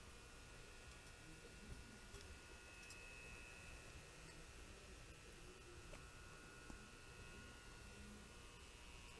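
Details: Constant electrical buzzing hum from a newly installed baseboard heater, only while the heat is on; the electronic wall thermostat is rated below the heater's power, so it is overloaded and a fire risk. Fix: use a higher-rated thermostat.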